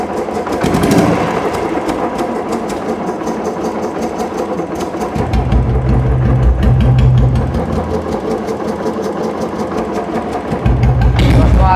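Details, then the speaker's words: Royal Enfield Bullet after an engine-noise repair, starting fine. Even, slow single-cylinder idle thump, about three beats a second, with no tapping or knock; the earlier loud engine noise is gone and it runs quietly. "तो अभी आपने engine में जो कांड हुआ था कि बहुत तेज कितने की आवाज आ रही तब देखिए इसमें कोई आवाज नहीं"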